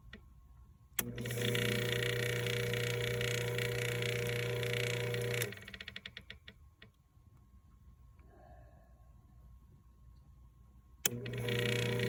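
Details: Pool pump, June 2024: fast even clicking about three to four per second over the motor hum, stopping when the pump shuts off.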